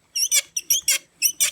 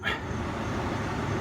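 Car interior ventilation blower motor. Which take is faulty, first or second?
first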